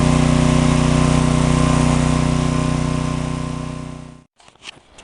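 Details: John Deere/Briggs & Stratton 4000-4400 W generator, after magneto coil repair restored spark: loud even drone with steady pulse for four seconds, then clean shutdown; running normally, GFCI receptacle to be replaced.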